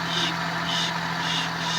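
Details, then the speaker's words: Suzuki Palette wagon, engine running as wheel turns: rhythmic scraping hiss about twice a second from a rusty brake rotor rubbing. "Ah ito kasi sumasayad na ong may kalawang yan. Kumakayas na yan. Yan yung maingay."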